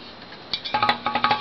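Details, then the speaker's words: 1950s Seabreeze 7" table fan (6171-A) with oiled front and back bearings: light metallic pings, roughly ten a second, as the shaft is pushed back and forth; normal end-play in spring-less bearings using rubber washers. "You can hear the sort of ping noise of the bearing moving back and forth. There's no springs in the bearing, no nothing."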